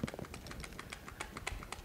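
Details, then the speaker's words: Milwaukee M18 tool shaken: quick irregular plastic clicks as the battery knocks in its slot from excess play; it slides forward, contacts lose connection and the tool cuts out, fixable with a shock strap. "as you can hear the slop that's in the battery on the m18 and what happens is it's got enough wiggle in it that will actually come loose"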